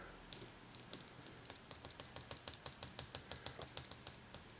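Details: 1994 Saab 9000 fuel injector bench test during rebuild: crisp, even ticks about three a second as the injector opens and closes normally after a tap freed it, likely varnished.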